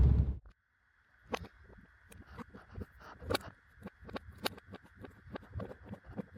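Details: 2019 Suzuki Vitara while driving, sharp irregular taps and clicks over road rumble and cabin hiss: an annoying dashboard rattle that appeared a few months earlier.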